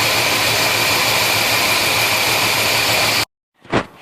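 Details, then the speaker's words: 1971 Chevelle 350 V8 at a loud rough idle with an uneven stumbling beat about twice a second; number one cylinder dead, plug wet, zero compression because its valve is held open. "The spark plug was still wet, and all the others were not. All the others are firing nicely. Okay, so what's going on? Well, I had zero compression on the compression tester on number one cylinder."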